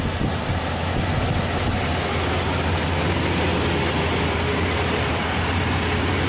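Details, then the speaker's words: 1998 Chevy K2500 Silverado 5.7L V8 at idle: with the stuck-open PCV valve blocked by a glove, the deep V8 idle drops and steadies, IAC at 90; PCV leak near cylinder 5 runner suspected of causing lean misfire at idle. "now we're just gonna plug it off and look now our idol is back down our iac is at 90. that's more like it"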